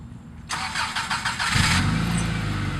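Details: 1997 Subaru Outback with UEL headers, rest of exhaust stock: engine cranks and idles with a quick sharp puffing tick following the firing pulses; exhaust leak from a header flange not tightened properly at the block.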